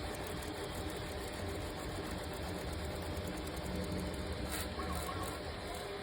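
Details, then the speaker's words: 3D printer moving quickly at full speed, not in silent mode, heard as quite noisy; steady buzzing whir as the head moves fast; normal operation at full speed. "And this one you can hear. It's quite noisy."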